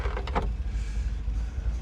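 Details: 1963 Corvette C2 convertible with a 327/340 hp solid-lifter V8 after a full tune-up: brief, smooth power-window motor whir over a lumpy idle, no binding or strain. Window works normally.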